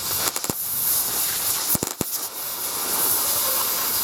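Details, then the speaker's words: Plasma cutter cutting rusty skid steer bucket steel outdoors: steady arc hiss broken by sharp irregular pops as rust spits back into the tip; trigger must be pulled fully. "That popping is rust. Going back up into it's popping and going into the tip."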